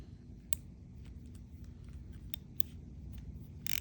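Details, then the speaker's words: SEASIR M1 135g metal-frame baitcasting reel with carbon drag washers: sharp, loud individual drag clicks as line pulls off, spaced by pull speed; the drag clicker is loud and working normally. "Well, listen to that drag clicker. That drag clicker is really loud. Drag star, nice loud audible click."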